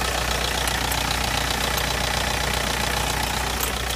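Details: 2001 VW Polo 6N2 SDI diesel at idle: a quick, steady light tick, about three a second, over the clatter; cause unknown.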